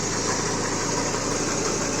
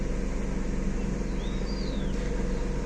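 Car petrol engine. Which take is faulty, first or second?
second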